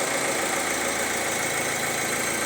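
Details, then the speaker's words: 2019-2020 Opel Insignia 1.6 B16DTH diesel, 136,000 km, fully cold start at 16°C in closed workshop: even steady running with no chain rattle or knock; chains and tensioners normal. "идеально без рёко это без Тука работа стартера и всё это мы в закрытом помещении здесь звуки очень хорошо слышны посторонние звуки если что Но здесь у нас всё идеально"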